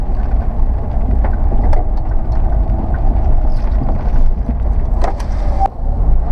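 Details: Car with DCCD, while driving: road and engine drone with sharp, irregular, rotation-related clunks through the drivetrain that shake the car, occurring on slow, steep, high-load climbs with the front suspension drooped; cause not pinned down.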